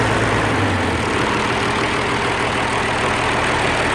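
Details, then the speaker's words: Oliver 1550 diesel tractor in neutral after rebuilding the sticky number 6 injector (wet stacking, cool exhaust port): steady, even idle with smooth low rumble, no miss or knock, sounding much better. "this time I'll turn the fuel on before before I start it there neutral and I should hook the battery back up okay oh that sounded much better"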